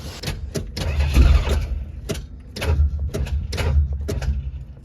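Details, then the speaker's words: 1977 Chrysler New Yorker 440 big block, recently revived after 19 years off the road: the starter turns in short heavy lurches, then stops dead as a cylinder fills with fluid; hydrolocked cylinder, float level suspected. "It's locked up a cylinder again. Do you hear that? Yeah. It's filled the cylinder with fluid."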